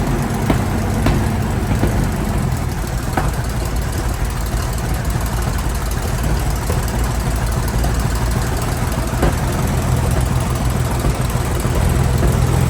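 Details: Centurion ARV V12 after the magneto timing was realigned to the crank: a deep, even rumble with no misses. Owner says the timing is now right and it starts perfectly, though fuel pressure is low. Normal running.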